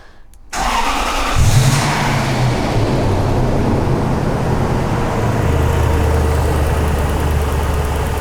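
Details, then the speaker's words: 2001 Toyota Land Cruiser 100 series 4.7-litre petrol V8, off the road since 2016, after fitting a secondhand ignition coil, MAF sensor and new O2 sensor to cure misfire and jerkiness: brief crank, catches at once, settles into a smooth, steady, even idle. "ladies and gents that that is smooth that is smooth yes yes"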